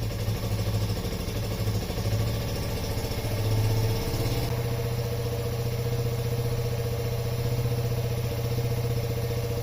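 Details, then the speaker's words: Yamaha Raptor 50 quad, first start after repair, neutral with choke: raised, fairly steady idle with a low drone that never drops back; owner suspects a dirty, gummed carburetor or a lean mixture. "it seems to have a little bit too much fuel I reved it it kind of sticking so maybe either the carburetor is uh a little dirty and gummed up or um or it's running too uh is it too lean yeah because it's just kind of wanted to stick on the throttle"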